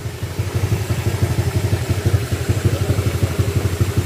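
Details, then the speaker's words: Honda Click 150i scooter with a loaded 62mm engine returned to stock: steady, even single-cylinder idle thump about three beats a second with no rattle, quiet and healthy. The exhaust note differs slightly because of the pipe. "Medyo iba yung tunugan niya mga sir dahil sa pipe."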